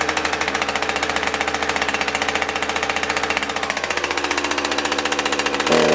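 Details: Husqvarna 357XP two-stroke chainsaw test-run after fuel filter cleaning, chain brake on; uneven, lumpy pulse about four beats a second, stumbling instead of holding idle; will not idle.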